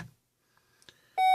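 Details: 2011 Volvo XC60 with its battery on a 6-amp charger: pressing the start/stop button gives one steady beep and no cranking, while the dash shows immobilizer, hood-open, not-in-park and brake warnings. No-start warning chime; cause not yet found.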